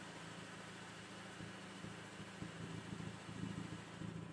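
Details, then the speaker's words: 01E transmission with Clutchmaster FX400 clutch: noise only with clutch pedal fully depressed in gear, none in neutral or before engagement point; idle hum gains uneven rattly chatter; clutch disc spring was about to fail, rebuilt. "clutch all the way in no sound not in gear neutral clutch in first gear if i've depressed the clutch all the way in it makes a louder noise like that"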